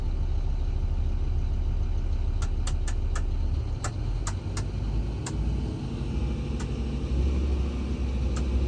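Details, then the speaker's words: Doosan DX300-LC5 excavator with a Scania diesel after repairs and new sensors, revved to working RPM. A deep, steady rumble with no puffing or leak noise from the exhaust; it sounds quiet and sealed tight, with no fault codes. "Sounds like it's pretty quiet. That's good."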